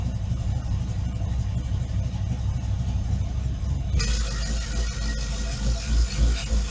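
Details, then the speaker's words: GM truck engine with Fitech loaded intake manifold, Fitech injectors swapped for Deatschwerks and tuned with HP Tuners, cold day at -2 and snowing, idles well once warming: deep, steady low rumble, even beat, no misses or surging; normal idle. "So, obviously, we're not going to drive the truck today, but I am going to start it to show you that it does start well now. It does idle well once it kind of gets the temperature."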